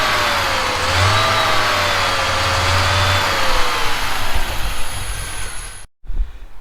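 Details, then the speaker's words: Audi 2.2 Bosch K-Jetronic with screwdriver put in: holds fast high idle, usually about 3000 rpm plus, pitch sagging slowly over seconds before shutoff; helper suspects an air leak. "um but if I put the screwdriver in which I'll try next I'll see if it will spray idle but it it usually goes to about 3000 revs plus so I'll give that a go now"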